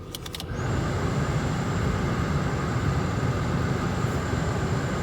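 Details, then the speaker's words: 2004 Toyota Camry after blower motor and blower resistor replacement: a click, then strong, even rush of air with a faint steady fan whir across low to highest settings, no squeal or rattle; normal blower operation. "bam there we go blowing nice and strong"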